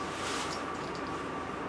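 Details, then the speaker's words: Replacing an 8-year-old electric hot water tank: filling from the cold supply with the hot valve closed while purging air through the pressure relief valve. Steady hissing rush of air with a faint whistle until water arrives; normal air purge. "okay i'm going to let the air out while it's filling until i get water coming still lots of air"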